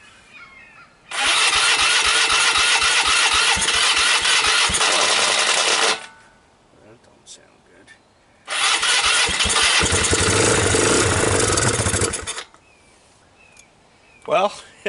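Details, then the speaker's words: 2005 Polaris Phoenix 200cc four-stroke CVT ATV, old cold start with choke and starting fluid: two long cranking bursts with weak catches that die; hard starting, owner suspects low compression, poor fuel draw or tight valves. "it attempted to move a little bit that's all a good sign I like that um though the ends in quasi starts I don't know what kind of shape it's in uh that compression seems low and it doesn't seem to be drawing fuel properly"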